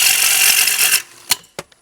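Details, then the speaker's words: Wood lathe turning a bowl interior held in a chuck: steady hissing cut ends abruptly in sharp cracks and clunks as the gouge catches from reaching over the lathe, digging into the bowl's inside. "that's a catch from reaching over the lathe and not um not being able to hold the gouge where i want to"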